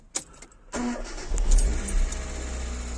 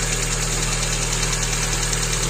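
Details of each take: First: Hyundai Getz after a timing belt, fuel pump and filter, oil and all filters, and spark plugs were replaced: brief crank, then it catches into a smooth, even idle. Valves clatter until warm, as when bought; the idler roller still needs replacing. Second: Hyundai Getz after timing belt replacement, first start: fast, light, regular valve lifter ticking from the top of the engine over a steady idle on cold start, before warm-up; owner says the upper idler pulley has heavy play and needs replacing.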